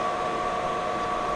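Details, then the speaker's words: Renault Super 5 1.1 Turbo with GT2871 turbo, coolant foaming (owner doubts head gasket, blames coolant): radiator fan forced on, steady airy whoosh and constant hum, no surging; coolant level fine, fan running. "voilà j'ai mis le ventilo en marche forcée là le l le niveau il est bien"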